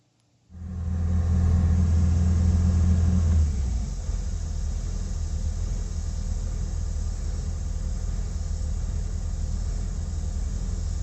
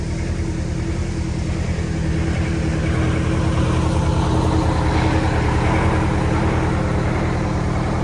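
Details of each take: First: Prevost bus, Detroit 8V92TA DDEC2, after fitting new rebuilt injectors to replace ones with stuck plungers: the diesel settles into a steady, even idle rumble with no surging or hunting, a normal idle. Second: Prevost Marathon conversion bus with Detroit 8V92TA DDEC2 two-stroke diesel, down on power, 15 psi max boost, no codes: heavy drone with rhythmic surging while driving; traced to faulty injectors.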